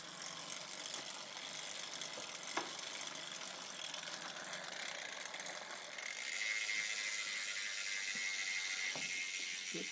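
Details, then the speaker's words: Campagnolo 11-speed road bike on a stand, pedalled in the worst rear gear with the front derailleur not touching. A fast, high, gritty buzz comes from the rear cassette area. "and here we are just buzzing like mad back here the budging that you're hearing is coming from the"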